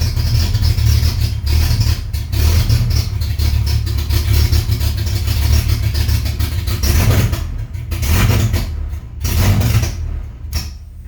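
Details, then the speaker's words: 2009 Chevrolet Colorado 3.7 inline-five with AR5 swap, first start 10 months after an oil-line engine fire, exhaust not fitted: very loud, raw low rumble with sharp cracking pulses as it revs and settles; running open without exhaust. "okay that's a little loud we're gonna put the exhaust on before the next one"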